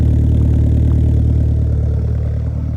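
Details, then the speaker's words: Tuned performance car back from alignment, fuel low and likely moisture in tank, cold start in the 20s °F: deep, heavy idle pulsing about three times a second with slight uneven shake; owner suspects summer tune/dense-air mismatch. "it's definitely cold still it gets this weird thing going on lately I think because uh because when I stopped the car it was all tuned for summertime and the Heat and all that"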